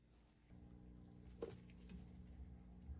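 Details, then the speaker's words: GE top-load washer not spinning or draining, in drain and spin, machine tipped back: faint steady low hum with no pumping or water movement; pump has power and vibrates, suspected seized drain pump. "I can hear the pump. I can feel it. It's vibrating. So we know we have power."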